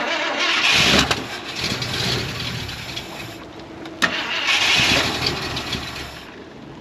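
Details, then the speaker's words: 1973 Ford F250 with FE390 V8, long-stored and full of rodent debris, first start on fresh gapped plugs: long cranking, then it catches and stumbles at a low uneven idle; idle screw set too low and turned up. "Turn the idle screw up a little bit, see if that'll help."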